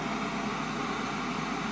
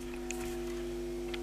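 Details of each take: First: Hard-wired transistor preamplifier with two BC547 stages, 50k volume control turned to maximum: only a steady, even hiss with no low hum underneath. This is normal transistor noise. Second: Hard-wired transistor audio amplifier input with a one microfarad coupling capacitor between stages, touched with a finger: steady low rhythmless buzz as the circuit picks up 50/60 Hz mains hum, gone when released; mains hum pickup.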